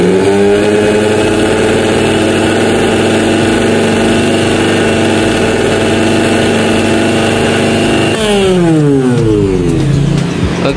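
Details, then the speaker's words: Panasonic blender that kept shutting off, after repair with slightly worn armature: steady, even motor hum with some table and body vibration rattle, then smooth wind-down; motor running normally. "untuk suara itu suara Getaran ya lebih ke suara Getaran meja dan getaran bodinya Mantap ya suaranya ya enak mesinnya sudah bekerja normal"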